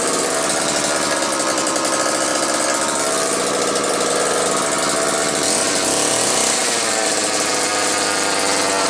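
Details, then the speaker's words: Old McCulloch 1-40 two-stroke chainsaw, very smoky: harsh ragged buzzing with no clean steady note, rough uneven running throughout; suspected bad crankshaft seal on one side or crankcase sludge, maybe carb rebuild kit; tuning not far off, cause unconfirmed. "I'm not totally sure what to make of this one it almost acts like it could have a bad crankshaft seal on one side but with how bad it's smoking and I know the tuning isn't that far off"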